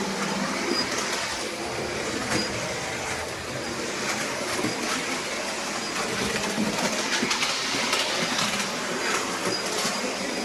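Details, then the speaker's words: New Bachmann OO gauge Midland 1P 0-4-4 tank engine that developed noises during running in: a very high-pitched squeak above the rolling clatter and an intermittent quack-quack noise; cause not yet identified. "Okay, so what I'm hearing is a high-pitched squeak, very high-pitched, don't know whether that comes across in the camera, a very high-pitched squeak, and a sort of intermittent quacking noise, of quack, quack, quack, quack."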